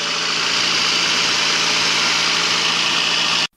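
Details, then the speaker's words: VAZ 2109 8-valve engine idling after water pump replacement (old pump seized and the timing belt jumped): steady even hum with constant hiss, no knocking or rattling; pump fine, healthy idle. "в конечном итоге вот такой четкий звук мы слышим. Ничего не стучит, ничего не гремит. Помпа в порядке."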